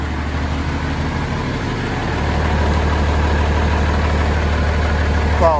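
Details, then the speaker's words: MB Trac 1300 diesel tractor, first start in six months after new injector seals, hydraulic hose, oil and air filters; a steady, even idle with a low regular beat, no knocks and no leaks, running normally. "anyway she's running so pop back here and put the new air ram onto what is the handbrak"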